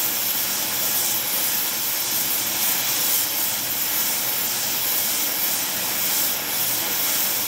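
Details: Small mixer torch welding on Air Products Integra oxygen/acetylene cylinders with built-in regulators and flashback-arrestor quick connects; 4 psi is hard to set on a 380 psi gauge. Steady, even hissing roar, no popping or sputtering; normal torch flame.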